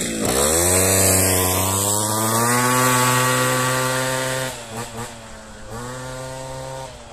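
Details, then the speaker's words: Piaggio Ciao 50cc Athena two-stroke with modified intake airbox: crisp note climbs smoothly through the revs, holds steady and drops back cleanly with no boom or drone; healthy engine. "On va accélérer un peu."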